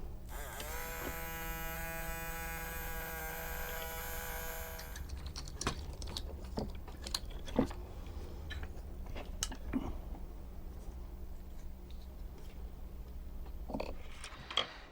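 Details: 1986 BoToy Mr. T robot being refurbished, small motor run on bench voltage after light 3-in-1 oil: steady high buzz for about four seconds, then stops; the motor now spins freely.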